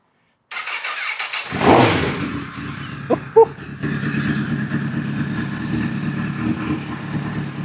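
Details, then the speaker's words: Lightly crashed Honda CBR1000RR, fuel pump suspect, cranks briefly and catches around the second mark, then settles into a steady, even idle; engine fires and runs fine, before hydrocarbon test. "dude no freaking way holy crap P I can almost not believe it right now that's insane it actually runs wow insane"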